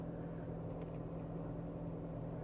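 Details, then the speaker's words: 2014 Dodge Avenger after replacing the blend door actuator, engine running while switching heat to cold: steady low hum, no ticking or clicking from the dash. "you don't hear that ticking noise or clicking noise. It is all done."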